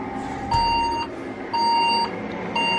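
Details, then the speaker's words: Old second-hand Saturn server tower case powered on: steady high half-second beeps repeating about once a second over a soft hum from the PCB speaker; suspected RAM problem beep code, not confirmed. "doesn't look like that's working that sounds more like a ram problem beep or something to me"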